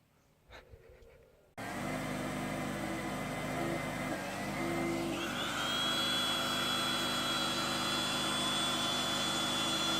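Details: Petrol electric generator converted to run on propane gas, running on gas after starting: a steady, even engine drone with a constant high tone that settles in, smooth and unbroken, so normal running on propane.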